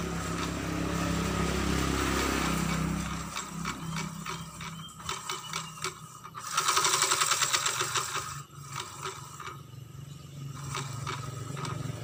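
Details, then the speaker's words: Honda Vario 125 that creeps forward without throttle: turning the CVT pulley by hand gives a dry, uneven scraping rattle, about three or four clicks a second, from a worn clutch housing rubbing inside. "Terdengar suara berderak, seperti ada sesuatu yang bergesekan dengan sesuatu yang lain. Hm. Seharusnya tidak berbunyi seperti ini."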